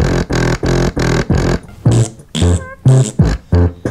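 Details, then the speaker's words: Coral BX-1500 6-way speaker, second woofer playing a bass test track: the thumps come out buzzy and smeared, breaking up instead of landing clean; something is wrong with it, and it isn't supposed to sound like that. "I made this shitty bass test in 2009 I was like 12. something's wrong with this one too I can hear it"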